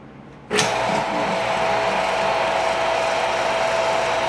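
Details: Water Ace sprinkler pump motor with an epoxy-repaired shaft, after a no-start traced to the centrifugal start switch: starts cleanly into a steady, even whir with no hum or stalling. Normal motor run.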